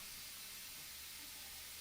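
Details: AEA Challenger .357 air rifle being bled by loosening the gauge before a power valve installation: soft, steady whistling hiss with no low sound underneath, compressed air venting evenly from the reservoir.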